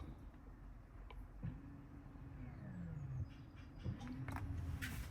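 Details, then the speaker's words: 2018 Mercedes V-Class with Parking Brake Inoperative warning and module mix-up, during control unit reset and assembly-position functions: quiet low motor hum rising and falling in short runs as the actuator drives; electric parking brake working. "Yeah, I can hear parking brake working."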